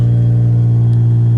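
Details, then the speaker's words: 1990 Ford Thunderbird Super Coupe, factory supercharged, revived after sitting about three years, after fuel pump change: loud steady low drone holding well above normal idle with no drop; high idle persists, cause unknown, dealer diagnosis planned. "It still revved up, and yeah, bummer."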